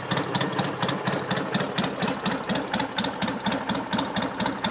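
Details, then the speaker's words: 1963 BSA Rocket Gold Star in touring trim at tickover: an even, steady thump with regular firing and no misses or knocks, not floating, with quiet tappets; a healthy, settled idle. "we're looking to see if it's floating which it isn't it's got a nice regular tick over"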